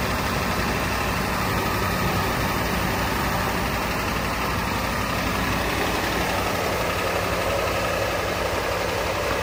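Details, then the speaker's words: Ford 7.3 IDI diesel after 11–12 years sitting, cold just after first start on starting fluid: dense uneven clatter at idle, dies unless held; owner can't hear glow plug relay firing, expects it to smooth out once warm. "I think it's because for whatever reason I cannot hear the glow plug relay firing. So I think we just need to get the engine warmed up. And then once it's warmed up, I think she'll be strong."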